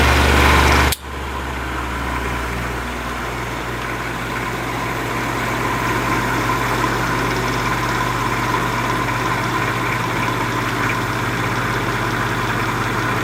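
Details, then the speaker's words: 1950s Patton 18-inch fan, 3.2 A GE shaded-pole single-bearing motor with seized bearing: steady low labouring hum, running slow and slowing further, motor really hot, current draw normal; owner wonders if added oil too thin. "bit it's not running at the speed it's supposed to be running at motor is really hot sounds"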